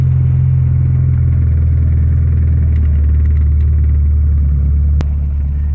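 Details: MK2 VW GTI 16-valve engine, formerly turbocharged, after fixing a loose vacuum leak that caused oscillating idle; steady low even rumble with no hunting or surging; normal idle.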